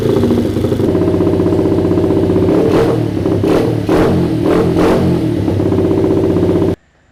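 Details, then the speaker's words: Honda CRF50 single-cylinder after repeated carburetor work on an overflowing float bowl: a few quick throttle blips and slightly lumpy, uneven beat before cutting off; owner thinks idle mixture already rich, cause unconfirmed. "I do not think the idle needs to be more rich. I think it was rich as it is, so I'm going to change the idle"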